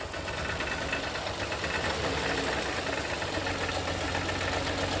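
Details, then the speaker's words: Toyota Kluger sitting about four years, idled about eight minutes, engine cover off: revs climb with uneven stumbling beat and knocking roughness, smoky when revved; suspected no compression on cylinders one and five, misfire. "yeah look she's not sounding too good just give it a little rev"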